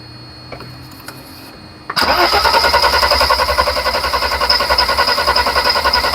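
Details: 1991 Mercedes 300SL with no-start problem: starter cranks with steady, even chug of about three and a half beats a second, never catching; fuel smell present and pump heard pushing, but fuel not going through the injectors.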